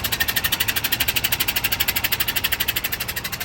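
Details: Truck air dryer purge valve leaking continuously from its bottom, recorded at the dryer with the truck stopped: a sharp hiss pulsing about three times a second. The system is not holding air, so the air brakes lose pressure (governor cutoff 125–135 psi).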